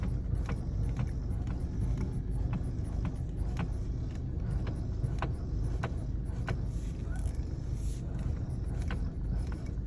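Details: Volkswagen Passat B6 while driving: sharp irregular knocks, roughly two per second, over a low driving rumble, felt through the steering column; steering rack knock.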